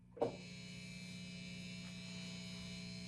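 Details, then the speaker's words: Vintage V6 Strat-copy guitar with stock Wilkinson WVS pickups into a 1970s Fender Champ on 6.5 with flat EQ: a plug-in pop, then a constant low 60-cycle hum with a thin buzz. Poor shielding and grounding, later fixed by a tech. "Negative, there's a buzz. Listen to what happens when the volume's on and I plug this thing in."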